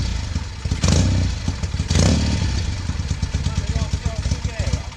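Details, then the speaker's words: 1968 Norton Commando twin (one of the first 100 made), on a short test run after switching from monograde oil to 20W50, smokes heavily on the left side and runs rough with an uneven, lumpy beat; owner suspected fouled plug leads on start-up smoke, cause unconfirmed. "It's smoking quite heavily on the left hand side and the engine just sounds a bit on the rough side."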